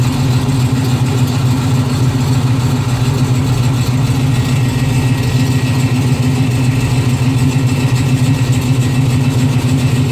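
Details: Steady low idle carrying a faint rhythmic pulse about three times a second over the engine note. Odd noise of unclear cause.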